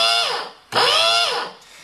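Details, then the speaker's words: Rotovac Black Hole impeller pump switched on by its float switch, running dry with no water. The motor whines up quickly to a steady high tone, cuts, restarts and spins down cleanly: a properly operating pump. "So when this goes up, the pump turns on, and here's what a proper operating pump sounds like."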